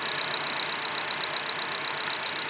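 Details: 2004 Acura 2.4 i-VTEC DOHC with misfire codes on all cylinders, coils unplugged one at a time at idle; rough uneven idle shows no rpm change when the last coil is unplugged, so that cylinder was already dead.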